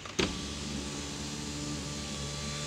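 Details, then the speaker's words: Chevrolet Impala door after removing the two overlong screws: the window motor gives a smooth, even whir for about 2.5 s with no knocks or scraping. The glass travels all the way down freely. "let's put the window down boom all the way down without hitting anything"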